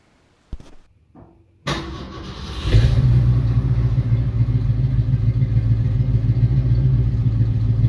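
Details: 1966 Mustang fitted with a 1990s Ford 302 roller V8 in place of the dead 289, with a new exhaust: starter crank, quick catch, then a deep, even rumble rising cleanly; strong, smooth start and rev.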